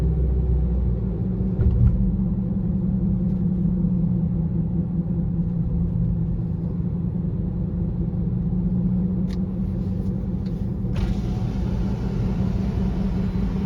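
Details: 2018 Honda CR-V cruising, loudest between 25 and 50 mph, present since new: steady low droning hum under road noise; silent with front wheels lifted; owner suspects hub bearing or tires, unconfirmed.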